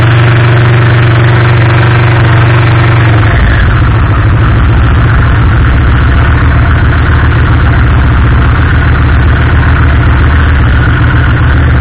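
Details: 2007 Yamaha Vmax 1200 carbureted motorcycle after fuel pump replacement (old pump clicked continuously, bike died from fuel starvation); starter cranks briefly, engine catches and settles into steady even idle on choke, no misses.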